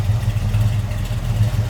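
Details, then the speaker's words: 1967 Chevrolet Camaro Convertible idling, heard at the tailpipe: mild cam gives a lumpy low rumble, slight lope but even and regular, nothing crazy; healthy. "Mild cam, a little bit of a rumble out of it, nothing crazy."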